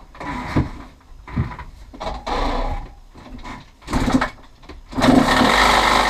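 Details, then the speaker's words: 2016 KTM 85 SX: uneven, sputtering bursts rising and falling with throttle, never a clean steady note; sounds unhealthy, cause not yet known. "again yeah that sounds really bad okay yeah okay guys now that we've already started the bike had a chance to listen to it doesn't really sound too healthy"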